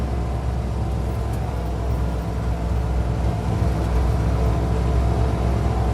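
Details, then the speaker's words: 1972 International 1210 after intake gasket vacuum leak fixed, carb with 500 CFM #74 jets: long uphill pull at quarter throttle, throttle unchanged, checking whether fuel bowl runs dry; deep steady drone, no stumble or hesitation; normal pull under load. "Okay, see if the fuel runs out of the bowl. It's a longer pull. Not adjusting the gas at all."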